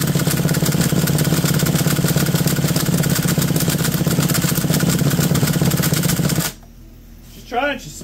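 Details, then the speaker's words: McCulloch D44 direct-drive chainsaw, not run in 15 years and previously a hard starter, with good spark and much WD40 in it; uneven sputtering for about six seconds then dies; owner suspects WD40 or a spark plug failing under compression; hard starting. "yeah we saw it had excellent spark come on oh there's a lot of WD40 in there"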